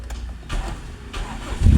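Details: Toyota Corolla 4A-FE after ECU repair and data cloning, which fixed a blinking check-engine light: brief starter cranking, then the engine catches and settles into a steady low rumble; starts cleanly.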